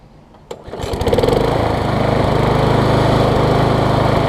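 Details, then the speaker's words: MTD push mower engine swapped onto Troy-Bilt deck after replacing sheared flywheel key: pull start catches quickly, steady even drone, no stumbling or surging; runs much better, normal running. "Much the camera picks up, but that's a lot better, a lot better."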